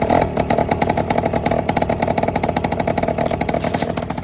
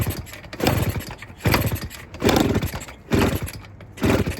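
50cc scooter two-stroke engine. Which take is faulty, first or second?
second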